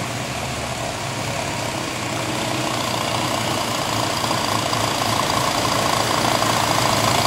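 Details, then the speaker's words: Engine just converted from carburetor to PIII fuel injection system: catches and settles into a steady, even idle with a soft regular beat, no knocks or misses; runs clean, normal idle. "it is very uh reliable starts up every single time excellent throttle response so you can see here so we're going to start it up and show you how nice this runs a"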